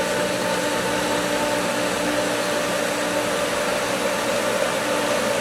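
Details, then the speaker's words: Pool pump at spring opening, with the winterized skimmer line just opened: steady whooshing hum with a rough, watery churn as air is drawn in, risking loss of prime before it recatches. Pump drawing air. "It should, it has prime, but there's just so much air now. So it should recatch is the idea."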